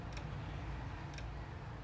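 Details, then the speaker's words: H&L Pro120 IGBT welding machine with the power lamp blinking and the relay clicking repeatedly; the 24V supply rises and falls, not caused by the fan. Two sharp relay clicks about a second apart over a faint hum. "ini kerusakannya yaitu mesin las di sini lampu power kedip-kedip disertai suara detik-detik gitu ya mungkin teman-teman bisa dengar suara dari relay setnya"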